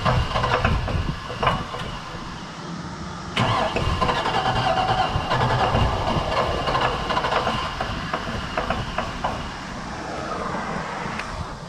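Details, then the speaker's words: Chevy Suburban with an LS swap, on a test drive after a huge exhaust backfire: uneven, clattery running with irregular metallic rattles; owner thinks something inside the engine let loose, cause unconfirmed. "I don't know if you can hear that, but I think something inside the engine let loose. It was running okay."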